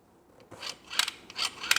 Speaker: you don't want it making that sound because that's not good because remember when you spin a motor you're going to generate and that electricity is not good so you push it slowly where it doesn't make that whining sound